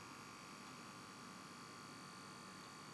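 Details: 12V battery charger driving a 12V DC motor, fed 240V AC through a dimmer switch that injects DC voltage, giving a faint steady transformer buzz; adding a 40W lamp in parallel reduces the buzzing.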